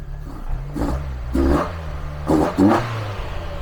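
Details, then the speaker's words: Mazda MX-5 1.8 VVT on first start with newly fitted Jenvey ITBs, ME442 ECU base map, no idle control valve, throttle bodies not yet balanced: sharp throttle blips each sagging back slowly toward idle; slightly sticky throttle suspected, cable to be checked. "now if you can hear that slightly sticky throttle but i haven't balanced the uh throttle bodies yet"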